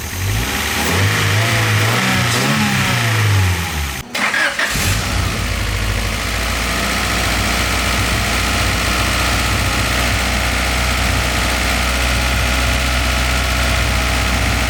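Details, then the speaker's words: Car nicknamed Wago, running again after a fire and repairs including straightening an injector; cranks and catches after a brief stumble, then settles to a smooth, even, low-humming idle; runs normally. "guys as you can see you got a wacko running again super awesome"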